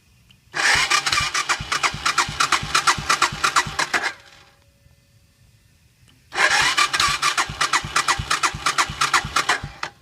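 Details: 1997 Suzuki Savage 650 that stalled while parking after running out of fuel, now full tank, choke in, clutch in, neutral: two cranking attempts of about 3.5 seconds with even starter chugs but no firing; won't start.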